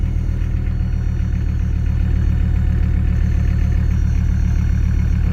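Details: Mercedes diesel that sat 15 years, after fitting an aftermarket solenoid shutoff valve because it wouldn't turn off; low steady diesel clatter at even idle, around 220 beats a minute, no misses or knocks. Healthy idle.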